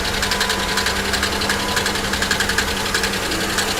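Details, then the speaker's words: 3400/3100 V6 at a salvage yard, idling: sharp light top-end ticks about three per second over an uneven idle, possibly lifters or a collapsed lifter; owner suspects blown lower plenum gasket, no milkshake under cap, oil level looks right; misfire noted. "that doesn't sound like a lifter not at all actually that does sound like lifters that almost sounds like this car maybe has the uh blown lower plenum gasket"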